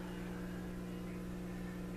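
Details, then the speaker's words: Motorola 56CC2 tube clock radio on a variac at about 90 V, drawing little current (0.02): steady low buzzy AC hum under faint hiss, tubes glowing; filament voltage is suspected faulty. "Alright, I can hear it now, it's humming. So it's not using very much current."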